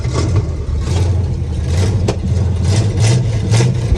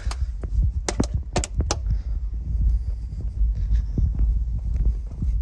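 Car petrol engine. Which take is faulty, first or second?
first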